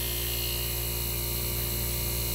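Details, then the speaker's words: 1965 Fedders Weather Wheel air conditioner, mic near the freshly repainted Tecumseh AJM15-94 compressor during thermostat test after cleaning: steady low hum with even buzz, no clatter or stalling; runs smoothly. "we're going to get you guys near the compressor so we can hear it there's our freshly repainted tecumseh ajm15-94"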